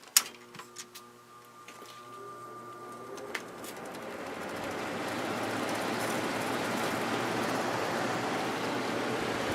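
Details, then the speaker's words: Emerson Quiet Kool 6300 BTU air conditioner with replacement GE fan motor, original capacitor reconnected, on high: steady even air rush after switch click, faint motor hum, no rattles; running normally, though motor seems underloaded with little speed difference. "nice and quiet it's medium and low it's a little bit quieter but yeah there's not much of a difference with this big motor it's definitely underloaded"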